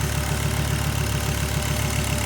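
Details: Volvo 850R idling after a cleaned, rebuilt PCV system passed a glove test with great vacuum: smooth, even idle pulsing about seven times a second, no ticks, knocks or vacuum hiss; running healthy.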